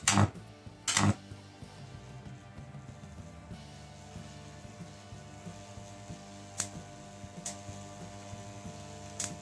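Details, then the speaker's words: Four microwave oven transformers combined into one high-voltage transformer, buzzing strangely at around 250 V while being brought up toward full 230 V mains power: harsh steady mains buzz with crackling bursts. Measurements afterward showed another coil had shorted. "after I did some measurements it seems I have another coil that shorted"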